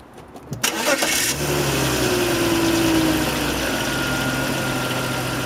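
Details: BMW 530i: a warm petrol engine cranks and catches, then idles with a rattle underneath. The rattle occurs only when warm, at low RPM and for a few seconds after a warm start, never on a cold start; the cause is unknown.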